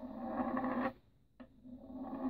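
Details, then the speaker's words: Austin A35 A-series engine rebuild, pushrod check: a known-good straight pushrod rolls with a steady, even rumble and no clicks or wobble, unlike a bent one that rocks and makes noise. "this is one of the known good push rods you can see it rolls down there quite easily it's not making any unusual noises and it's rolling down there nice a steady"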